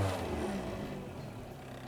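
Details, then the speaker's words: Golf MK3 GL (German) after fixing the fault where held part-throttle made it accelerate and cut repeatedly: floored, the engine pulls up cleanly in a smooth, even rise with no stumble or hesitation; healthy throttle response. "Respondendo de boa, né?"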